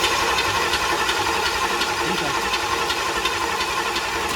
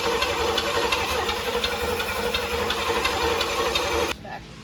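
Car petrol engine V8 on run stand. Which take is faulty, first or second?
second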